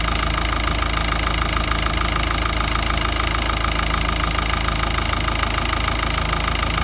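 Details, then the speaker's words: Ford Ranger 3.0 Power Stroke diesel at idle; regular sharp knock about three times a second over the clatter, occurring at times only when turning the steering hard or parking at idle, then stopping. Cause unknown. "tenía ese golpeteo en el motor que no sabía de dónde venía y me lo hacía a veces, solamente cuando doblaba mucho la dirección o estacionaba, lo hacía regulando y después solamente lo dejaba de hacer."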